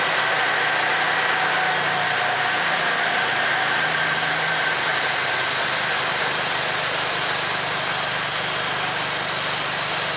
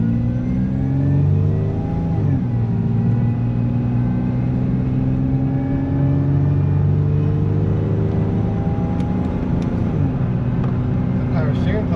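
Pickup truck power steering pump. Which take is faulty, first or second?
second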